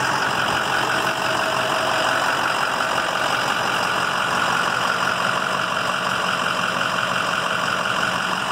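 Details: 2007 EarthRoamer XV-LT, heard from outside near the rear: even, quiet diesel idle with a steady rhythm, no knocks or misses, diesel heater whining faintly; engine idling cleanly.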